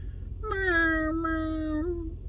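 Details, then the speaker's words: 2006 Lincoln Town Car, about 45k miles: wiper motor squeaky whining tone sliding slightly lower over about a second and a half, noisy for over 2.5 years; failing wiper motor, fixed by replacing with a Motorcraft wiper motor. "And then we were live not too long ago, and these wipers, for over 2 years, 2.5 years, they've been making noise since I bought the car."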